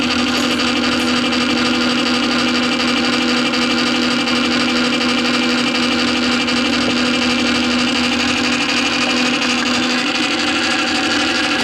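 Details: Columbia Graphophone AH after a motor service in which both springs were found extremely dry with powdered grease, running with no record: steady whirring buzz with a constant hum and bright gear chatter at even speed. The spring motor runs normally.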